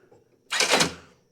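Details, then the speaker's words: Toro zero-turn mower, newly replaced brake box actuator motor, key on, as a steering arm moves in: short whirring buzz under a second, then silence; brake releases and reapplies normally. "that those are going in and out. The brake is being actuated with that motor we just replaced each time we go in and out with the arm."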